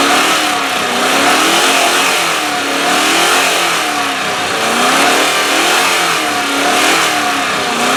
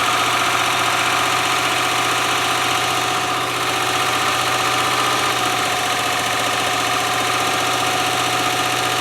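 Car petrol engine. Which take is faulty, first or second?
second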